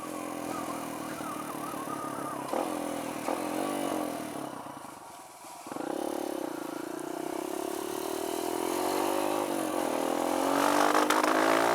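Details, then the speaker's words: Kawasaki KLX140 with newly installed KX65 carburetor, first test ride: pitch climbs then stumbles and loses power around half throttle before picking up; half-throttle sputter, owner suspects needle setting. "when I get into develop that half-throttle about half throttle it starts to sputter and stuff it's not wanting to go"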